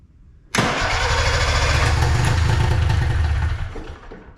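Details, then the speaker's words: Arctic Cat Puma Deluxe 340 snowmobile, sat about 10 years, little fuel reaching carb from tank (pickup suspected plugged); bursts into rough uneven run for about three seconds then dies; owner plans to backfill fuel line to prime carb. "Something's happening. Don't know why it's trying to run. I'm going to try to backfill that fuel line just to give it a prime to the tank so it can fill up the carb."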